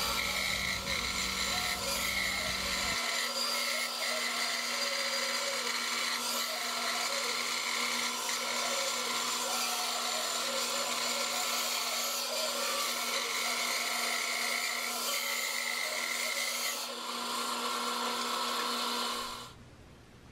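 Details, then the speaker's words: Band saw cutting a curve in clear pine: a lower-pitched whine from the guide bearings taking the blade twist, under the higher hiss of the teeth; screaming bearings would mean too much torque and a need for a thinner blade. "but as you do a curve you'll hear that those bearings kind of whining a little bit when you hear those bearings you want to just make sure that it's a smooth consistent"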